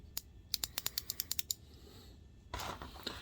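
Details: ComfortZone space heater that wouldn't turn on, after re-seating a warped metal contact in the tilt switch: about ten quick, light metallic clicks in a second and a half as it is tipped; tilt switch working properly.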